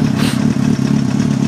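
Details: 2007 Kawasaki ZX-6R (Code 62 solved) with Yoshimura RS5 pipe, K&N filter, PC5 with Auto Tune, warming up after start: steady, quick-firing idle with a crisp, even exhaust pulse and no clatter or misses; normal warm-up idle.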